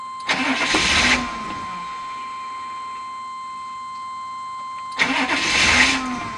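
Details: Waiting for the security light before cranking: two one-second cranking bursts with a pause between; the starter spins but the engine never catches. The security light won't stay on; cause suspected, not confirmed.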